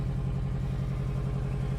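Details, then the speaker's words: 1994 Honda Accord turbo engine with ring land problem, smoking and burning oil: steady idle with low slightly uneven chuffing pulse and clatter, said to miss on a cylinder; owner suspects exhaust leak at turbo manifold. "all righty so now I'm going to start up the car to let you hear what it sounds like it sounds pretty bad to be honest but that's because you know it's missing on a cylinder"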